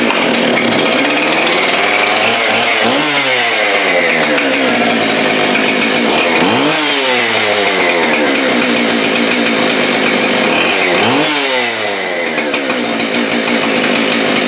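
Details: Husqvarna 576 chainsaw after shop repair (reported high idle or running as if choked; choke function and tank vent checked), repeated throttle blips with revs sweeping up to a clean scream and dropping back smoothly; pulls to full throttle, running healthy.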